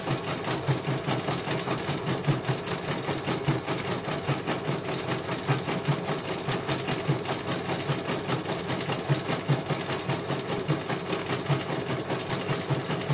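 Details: CNY computer embroidery machine from Banjarnegara, Central Java, test-stitching after service (dynamo motor earlier wouldn't spin at all): even, regular clatter over smooth motor hum, no rough or grinding noise; one colour finished, result very good, normal stitching.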